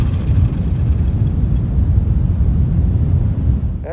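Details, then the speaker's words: Old Dixon zero-turn mower, sat in the woods about a decade, running on its own fuel after a new tank fuel line. A rough, lumpy, uneven beat runs then cuts out because the plug lead was left unconnected and is arcing to the plug, causing a misfire. "i think i found part of the problem yeah i didn't connect that back up it was arcing to the plug"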